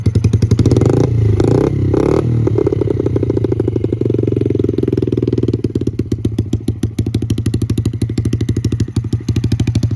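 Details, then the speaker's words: 2006 Yamaha TTR50 50cc dirt bike with GTR exhaust, after carb cleaning and a new battery: crisp, even firing pulses, pretty loud for a 50cc, settling into a steady idle; running fine. "it's pretty loud for a 50 cc"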